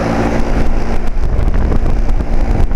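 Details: 2007 Carrier 2.5-ton central air conditioner outdoor condenser, intermittent weird noises for years: steady, even whoosh of air off the top fan over a low, smooth hum; no knocks or rattles, sounding normal again, nice even airflow.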